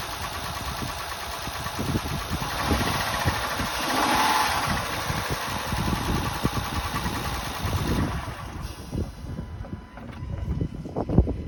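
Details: Honda Pilot after timing belt replacement with the battery reconnected; cranks briefly, catches quickly and settles to a steady idle with no slapping, ticking or rattling. Sounds healthy.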